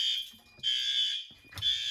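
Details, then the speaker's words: May fire alarm test triggered by activating a heat detector, door released as it should. High, shrill alarm tone in steady pulses with short gaps, loud and clear; horns and strobes working properly. "That strobe is working good. Horn strobe's good. The strobe in here is good."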